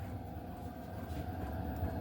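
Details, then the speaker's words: HCalory 8KW diesel air heater, installed in an RV with exhaust out the window, starting up: steady low burner hum, fuel pump tick barely audible and very soft; normal quiet start-up. "Now here it goes, listen. You can't hear it tick, but it's very, very soft."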